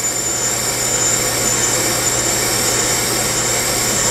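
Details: Bench brake lathe resurfacing a rotor: a steady, even hiss with a consistent cut all the way around and no loud squeal, just a faint high tone, after a vibration-damping device was fitted to suppress chatter.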